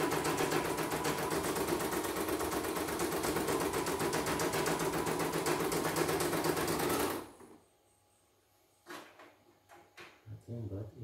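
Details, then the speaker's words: CNY embroidery machine with a non-working sensor complaint and very heavy rotation. Fast, even clatter at about four beats a second that then stops; it runs stiff and laboured because the main shaft (as) is seized. "Sensor tidak main ya. Ini putaran enteng, agak berat ini putaran ini."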